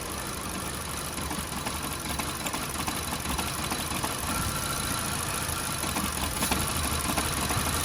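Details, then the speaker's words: VW Golf, coil-pack test at idle: lumpy, irregular idle with a faltering beat about three times a second, like a dead cylinder, clicking absent on one coil; owner suspects replacing the front coil pack; rough idle with misfire. "it's not sounding too great we'll go back to the first one again and there's literally no clicking on that one at all so I'm thinking maybe we should replace the front"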